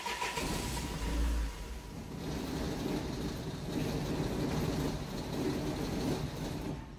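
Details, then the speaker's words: Van with no communication with electronic brake controller: engine starts, runs briefly with uneven low rumble, then sags and stalls; no throttle position fault codes, yet the faulty throttle pedal position sensor was the cause. "we were getting no throttle position sensors fault whatsoever which is unusual and yet it was a throttle position well as a pedal that was causing the problems in this particular vehicle"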